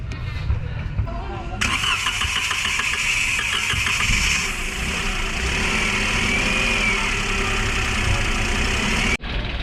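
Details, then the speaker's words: Toyota Wigo after engine knock repair, three connecting rods replaced: starter whirs briefly, engine catches and settles into smooth even idle with no knocking; fixed. "so Ayun mga boss na-solve na natin yung Toyota we natin So tatlong connecting rod po ang pinalitan natin dito"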